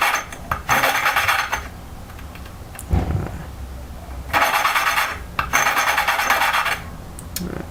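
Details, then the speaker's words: Honda GX120 valve being lapped by hand with fresh coarse paste: bursts of gritty, rasping scrape each time the valve twists on its seat, showing the paste is still cutting well. "okay i put new paste on and you would you'll be able to hear how rough it is you can hear how rough that is"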